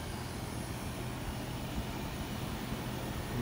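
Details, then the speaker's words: Newly installed five-ton Trane variable-speed 20 SEER zoned system replacing a Lennox, running after re-piping a kinked line: very quiet, steady low hum with soft even fan rush and faint compressor; normal running. "i don't know if you can hear it or not it is a beautiful system very"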